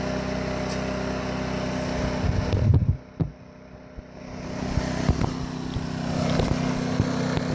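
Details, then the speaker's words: Champion 2500 W dual-fuel inverter generator, brand new, first-ever start on propane after re-priming with tank valve opened: brief dip then steady low idle drone, no knocks or misses; normal idle. "Alright. Fired up there a little bit. Yeah, it should start it."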